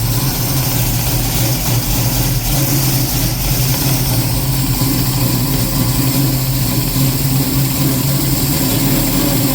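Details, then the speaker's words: 1965 Ford Mustang V8 with Holley Sniper fuel injection idling lumpy and uneven with a misfire and hunting idle; cam sounds good, running too rich; causes found include a couple of rockers out of adjustment and a resistor wire. "we got a Miss I don't know if that's mess with the cam it's actually running leaning enough to where the cam sounds good it's too rich in be so walk me through what all problems did we have with it running well it's searching"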